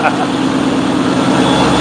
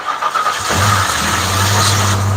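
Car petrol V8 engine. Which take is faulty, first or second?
second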